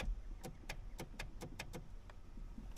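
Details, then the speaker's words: 2008 Chevy Silverado 1500 brake pedal position sensor (brake light switch) clicks sharply on and off each time the pedal is touched, quiet between; this clicking is normal, though the owner says it clicks off again with repeated presses. "which is fine. And it's supposed to when you touch the pedal, but keep listening as I keep pressing the pedal."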